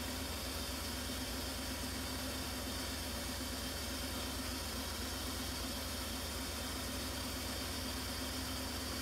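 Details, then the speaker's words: Petrol engine idling with a low, pulsing throb from one dead cylinder; its injector is clicking but may be clogged, owner thinks it isn't mechanical and plans a compression test. "but it's definitely a dead cylinder I don't think it's mechanical"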